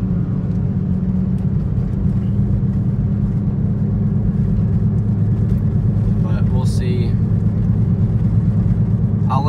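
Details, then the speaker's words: 2010 Toyota Prius with recently replaced tyres, AC off: steady low drone even at about 10 mph; owner suspects tyres, later update believes bad wheel bearing; droning noise at low speed. "Like, even right there at like 10 miles an hour, it's making the noise. So I really feel like that's the tires."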